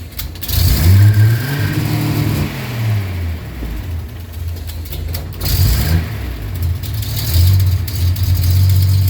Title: 280Z running with applied throttle, rough idle, and stall